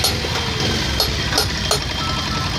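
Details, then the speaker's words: BS6 motorcycle after tappet (valve clearance) adjustment: steady low idle with a few faint ticks and no heavy tapping. The engine sound is now smooth and normal. "आपको देखिए दोस्तों हमने टेपट adjust कर दिया है अब sound आपको सुनाते हैं देखिए दोस्तों साउंड पूरा स्मूथ हो चुका"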